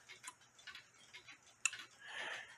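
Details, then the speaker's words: Nisshindo 100-day torsion/anniversary clock, plate 1469E, with a replaced suspension spring, heard through a beat amplifier: soft, evenly spaced ticks with clicks about 180 degrees apart on each side of the swing, so the escapement is in beat. "it clicked there and it click here so it's uh clicking about 180 degrees away from each other which I told you that's what you gotta have"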